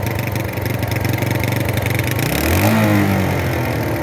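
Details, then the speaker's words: Single-cylinder 250 cruiser after a cheap carburetor rebuild: lumpy idle slow to come back down, then revs climb with a stumble and hesitation just off idle, black smoke showing; owner says it is over-fueling and still needs work. "once you're off idle, it goes, but hesitation there. It still sounds like [ __ ]"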